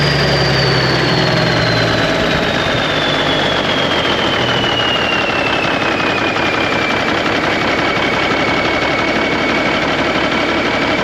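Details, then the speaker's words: 1991 Freightliner, mechanical Cummins NTC-365 with throttle lag, smoke and a suspected missing injector: uneven, lumpy diesel beat with a falling whistle as it settles; runs rough, worse after a test change. "sounds like we made it worse well that's not the direction we want to go"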